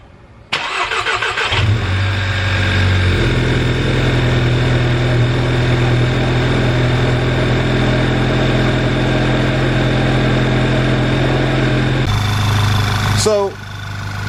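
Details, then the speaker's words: VW GTI MK6 at about 140k miles, cold start after maintenance and an exhaust leak repair: the starter cranks briefly, the engine catches cleanly and settles into a smooth steady idle with a short rev. No leak smell; healthy start. "so i'm gonna go ahead and start it with a cold start um with this in mind you definitely could tell or by the smell or even by the how it sounds if it's still there is still a leak"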